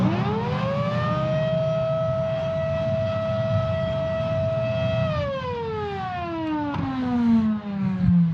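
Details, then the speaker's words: Kenmore Progressive Bagless 116.36932 upright vacuum being fired up after washing, recorded on a lavalier mic that makes it sound worse than in person. A high, steady siren-like whine holds, then sags as it spins down; the motor is wearing out. "Yep. That motor's on its way out, as you can tell, and I'm not surprised."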